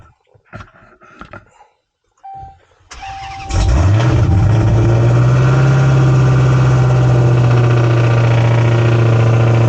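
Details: 2016 Dodge Challenger Hellcat V8 after replacing all 16 spark plugs and one coil for a misfire: crank, quick catch and rev flare, then smooth even idle with no misfire; normal start, not yet road-tested.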